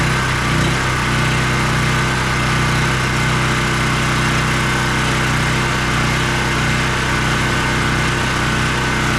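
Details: ETQ 4000 watt portable generator engine after fitting a cheap replacement carburetor with new gasket and adjusting its screw: steady even high-speed drone, no surging, misses or hunting, making power at full RPM; normal running.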